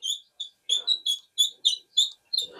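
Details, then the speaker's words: Kenmore dryer, unplugged, with the belt off: sharp high chirping squeaks, about three a second, as the idler (tension) pulley is turned and tensioned by hand. The belt is ruled out and the pulley is to be cleaned and lubricated. Idler pulley squeak. "So yeah, it definitely fell off. All right, so we know it's not a belt. This is a squeak that I'm just putting tension on it."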